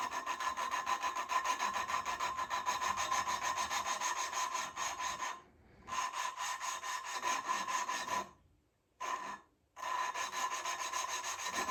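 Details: Triumph Spitfire cylinder head: rhythmic gritty rasping strokes about twice a second with short pauses, lapping a valve into its seat with compound; coarse at first, then slowly quieter as the seat beds in and is good to go.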